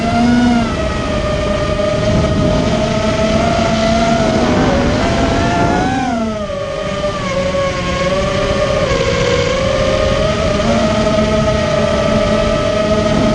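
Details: Immersion Vortex 250 Pro motor test run after trying to fix bad bearing sounds: a clean, high electric whine rises and dips with throttle, with no gritty rasp underneath, so the bearings sound healthy. One motor is barely warm and the rest feel good.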